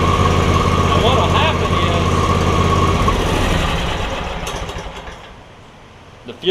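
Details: John Deere X300 mower with no spark and a suspected bad control module; a black wire was pulled to bypass it, fuel solenoid stops the engine. Steady, even thump ticking over cleanly, then winds down and stops: normal idle.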